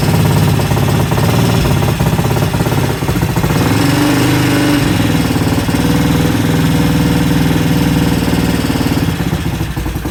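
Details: 1968 Benelli 350 (Montgomery Wards Riverside) motorcycle after 50 years in a barn, carbs primed and idle adjusted: barks into life, fairly steady with some unevenness and a throttle blip; engine running after long storage.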